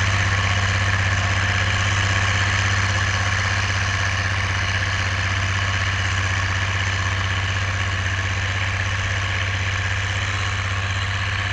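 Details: Oliver 1550 diesel tractor pulling a JD BW disk about 6–8 inches deep, running well once whatever was in the fuel system cleared: deep, steady drone holding even under pull, no misses or surging.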